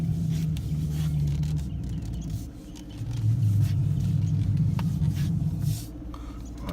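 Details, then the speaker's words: 2013 Dodge Charger R/T Pursuit, stationary: low, rough groaning rumble that rises and falls as the steering wheel is turned while standing still; cause unknown. "my 2013 charge pursue when I stand still will kind of make a noise"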